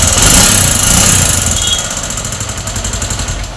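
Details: Bajaj Avenger 220 with high mileage, due for its second engine rebuild, with tank and seat removed: harsh rattly idle, about four clattering knocks a second over a raspy engine; badly worn internals, compression gone, and the bike won't move in gear.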